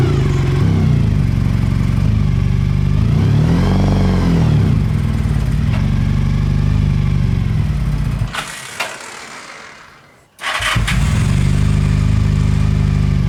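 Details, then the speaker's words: Honda VF1000 V4-powered buggy started after sitting about 4 months: lumpy, uneven idle, sluggish rev that hesitates on throttle, stalls and restarts; running on only two cylinders, hence no power. "It's only running on 2 cylinders. That's why it has no power."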